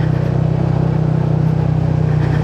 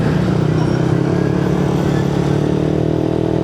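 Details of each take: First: Yamaha NMAX with a 4S1M Street Core V3 exhaust pipe: a steady idle with a buzzy, tinny rattle on each exhaust beat. The muffler is short on fiber-wool packing, causing the rattle and vibration. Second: Yamaha NMAX with a 4S1M Street Core V3 exhaust, riding after the muffler was repacked with more fiber wool to cure a rattle: steady, full exhaust drone with no rattle or buzzing, sounding fuller than before; healthy exhaust note.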